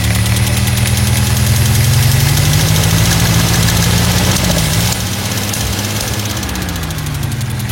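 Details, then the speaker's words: Engine idling, one valve not moving, oil leaking: loud idle with wavering pitch and uneven pops back through the carburetors as if lean; owner suspects that cylinder has mixture it can't expel; cause not confirmed. "Starts popping out of the carbs like it's lean. So I have no idea what that is."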